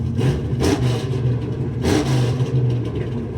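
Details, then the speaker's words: 1972 Mustang convertible, 351 Cleveland V8 with Edelbrock 4-barrel intake, headers, Black Widow mufflers: two sharp blips of a deep rumbling engine rising and settling cleanly over idle; healthy, on all eight, loud nasty exhaust. "That sounds nastier, but some people like the noise, some people don't. It's running on all 8 cylinders."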